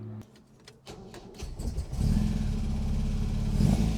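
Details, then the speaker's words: Supercharged MGB after an engine rebuild with a new supercharger camshaft and oil leak repairs, cold wet day. Brief starter clatter, then it catches at two seconds and runs evenly. An earlier bad-sounding start was thought to be the starter pinion. Normal start. "That sounds a lot better this time. I think it was the starter motor."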